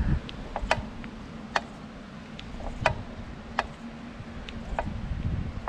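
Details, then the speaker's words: BMC Alpenchallenge belt-drive bike being ridden; sharp clicks about once per pedal stroke from the crank and bottom bracket area, louder under hard pedaling and on the left pedal, quiet when coasting. "I think it's very clearly heard now they crackle mainly when pedaling if we let go of pedaling then they quiet down"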